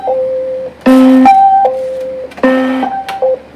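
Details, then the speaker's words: Hyper Juggler pachislo slot machine: short two-note electronic tune plays twice with no coin clatter; error tone indicating a coin mechanism fault. "That's telling us right there that there's an issue with our coin mechanism."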